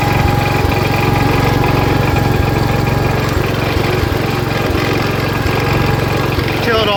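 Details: 1977 Wheel Horse B-100 garden tractor, single-cylinder, driving in high range first gear with the battery charging: a steady, even thump at about three beats a second under load. The engine is running healthy despite a questionable carburetor.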